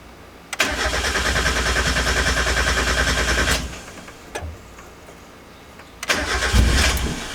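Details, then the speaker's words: 1990–1993 Miata after SpeedyEFI plug-and-play standalone ECU install: starter cranks steadily about three seconds without catching, then another short crank; cranks but won't fire. "almost so it's still not wanting to fire up"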